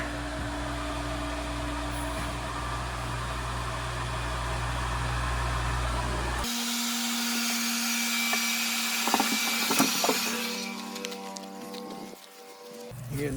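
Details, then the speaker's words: Shallow water pump started after six months idle, valve slightly opened during priming: steady pump hum shifts to loud hissing and sputtering as trapped air purges from the line. "air trying to come out"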